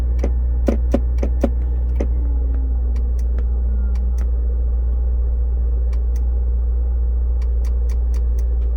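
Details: 2002 Land Rover Discovery S2 SE at morning start-up: sharp dry ticks in quick bursts, then sparser clicks over the engine hum, seemingly from the under-dash fuse box, in sync with blinking shifter lights and louder when the shift lock engages; fades after minutes.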